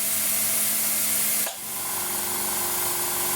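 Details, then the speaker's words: Laser-cutter air assist through a valve whose orifice was opened up for 2–4 psi use: a steady, loud, unbroken hiss of about 750 W of airflow. The compressor runs continuously without building pressure and the line shows no pressure, indicating excessive air assist flow. "What we're doing now, we're supplying 750 watts of airflow, and the compressor's running continuously. Does that make sense? That's a very expensive stream of air that's coming out of that nozzle."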